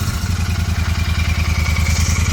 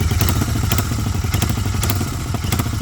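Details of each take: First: 2023 Continental GT 650 twin after fixing a clattering "kat-kat" noise from the engine: a deep, even thump with no rattle, including when revved. It runs normally. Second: Continental GT 650 twin idling with a loose, uneven metallic "kat-kat" clatter riding over the exhaust thump, traced to a silencer worked loose at its mounts. Exhaust clatter from loose silencer.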